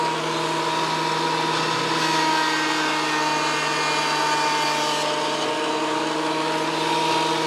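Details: WEN PL1326 15-amp 13-inch spiral benchtop thickness planer after repair of damage from misuse, feeding a small board: smooth steady motor hum at constant pitch with even cutting drone, no chatter or knocking; running normally again.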